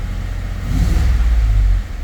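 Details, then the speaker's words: 2011 Ford F-150 5.0 just started after a crank-no-start was fixed by reseating a connector or sensor, with lots of starter fluid used: it revs unevenly and lumpily, with misfire codes on cylinders 5 and 6 from an unplugged injector connector. "at least it started and the truck is running kind of rough it's misfiring on number five and number six"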